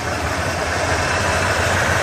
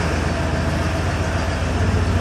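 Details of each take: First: 1988 Ford F250 5.8L (351) V8, sat two years, idling on injector cleaner: uneven, lumpy idle with an unsteady low pulse, misfiring; clogged fuel injectors suspected, possible rodent-chewed wiring. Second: 1988 Ford F250 with a 5.8L 351 V8, sat two years, after fuel injector work: steady, even idle with all cylinders firing and a faint exhaust pulse, about 95% better; normal idle.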